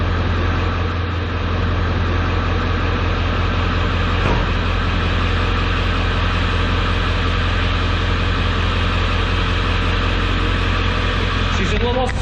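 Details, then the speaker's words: 1995 Ford F-250 7.3 liter Powerstroke diesel after replacing the glow plug relay to cure a no-start: steady, even diesel clatter at about two to three beats a second with no misses; healthy idle, no-start fixed. "listen to that puppy sounding good [Music] 7-3 power stroke with a new blow plug relay cheered that no start issue right there"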